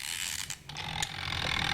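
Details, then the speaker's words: Two-tub washing machine washing timer, new three-wire timer, wound up: a light mechanical rattle settling into quick, even ticks as it winds down, showing the spring and gear still work; normal timer ticking. "it's on the timer there is a rattling sound like this. This indicates the spring and gear still working."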